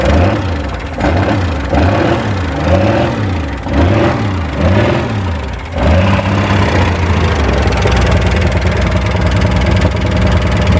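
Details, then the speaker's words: Loud rapid top-end tapping over a lumpy idle, keeping pace as revs rise, on a VH Valiant Ranger freshly swapped to a 245 Hemi six; carburetor leaking fuel; cause not found. "[Music] you can hear that tapping really loud"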